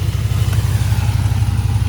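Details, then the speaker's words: Range Rover P38 revved to burp coolant while bleeding the system at operating temperature, after repairing a bearing noise (water pump): deep, even engine rumble holding steady with no squeal, knock or bearing growl; the engine sounds healthy. "see i'm gonna have to burp it now so to get some engine revs to suck that through the motor"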